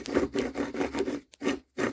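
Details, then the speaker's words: 2008 Jeep Compass with a humming noise: the removed front hub bearing is turned by hand, giving gritty rasping in quick repeated strokes; the outer side looks fine but the inner bearing is rough and worn out, confirmed as the cause. "even though the outside looks good I don't know what it is about the inside bearing this one's all right but the inside bearing you can hear it hear it freaking gone"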